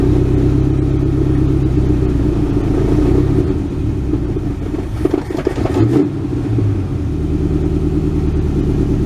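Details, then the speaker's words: 1967 Ford Galaxie 500 V8, cold first start on its rebuilt old two-barrel carb with a makeshift fuel jug: held at fast idle on the pedal, it stumbles and sags midway, then picks up; won't idle on its own yet. "it's alive power steering's working I'm having to keep my foot on it I'm afraid to let off well she's definitely not ready to idle"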